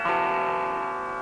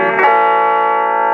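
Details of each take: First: Mesa Subway Rocket amp after about 10 minutes powered on: strummed chord comes out thin, distorted and low-level with almost no bottom end; volume drop-out suspected to be an intermittent effects return jack. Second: Mesa Subway Rocket guitar amp just switched on, cold, whose sound fades after running a while: clean full-volume guitar notes ring evenly with no crackle, hum or drop in level; normal output at this point.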